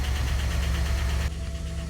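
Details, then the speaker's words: Rolls-Royce Silver Spirit, 6.75 L L410 petrol V8, 91,396 miles, just-started cold: quick light ticking over a steady low rumble. Usual cold-start tappets that fade once warm; owner suspects some valve train wear. "So they're always a little bit tappy from cold start. That soon goes away once it's warmed up. We've done some fairly reasonable mileage, so that might be a bit of wear in the valve train."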